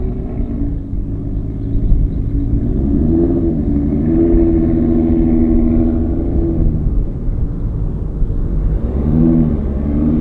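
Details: Audi RS3 swapped to a stock-block 3.2 VR6 with 79 mm turbo on low boost and smoothed base tune, new oil cooler, recorded from inside car on road at night: smooth deep exhaust rising and falling with throttle, no misses or stumbles; cleanly tuned.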